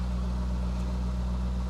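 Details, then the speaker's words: Corvette at a salvage auction, oil sticker showing 120,000 miles in 2019, with ABS, active handling and traction warnings displayed; smooth, even low V8 rumble with no knocks, ticks or misses; engine idling cleanly. "service abs service active handling the engine sounds good though"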